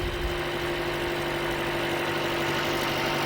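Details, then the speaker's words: Toyota Corolla 1.8L, after replacing the fuel pump assembly to fix a crank-no-start: engine settles into a steady, even idle with a smooth hum, no knocks or misses; running fuel pressure 50 psi, fixed. "okay this is is fixed we have 50 psi at the gauge the engine runs good so we're good to go"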